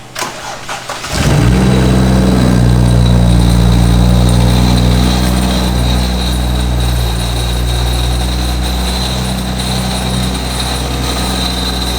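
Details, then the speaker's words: Single-turbo BMW E90 335i N54, about 700 hp, 145,000 miles: engine fires and settles to steady idle with a loose rattle on top; failed turbo with excessive play in the turbine wheel, cause unknown. "i don't know what the hell's going on the turbo but there's something very loose turbine wheel it's just like it has a lot of play"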